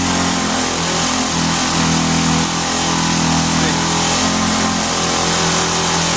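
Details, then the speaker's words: Vintage Hot Wheels R1NX gas go-kart, sat about ten years, restarted after cooling down, running hands-off with a raspy buzz held high and steady; fast idle. "All right. One more time. Hands off, kind of a fast idle."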